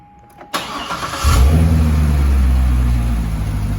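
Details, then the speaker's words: C6 Corvette with an LS3, starting right after an oil and filter change, with the factory active exhaust valve open: the starter catches quickly and a deep, even V8 burble settles into a steady idle with no knocks or ticks. This is a normal, healthy start. "And that's with the exhaust open at the moment, so we'll let it run through. Let the fluids pull up on the engine. That sounds really good."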